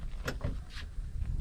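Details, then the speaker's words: 1st-gen Cummins crew cab passenger door after a hinge kit repair: it swings open with one clean latch release and no scrape or clunk, no longer resting on the striker pin. "Okay, listen to it open. So it doesn't rest on that striker pin at all anymore."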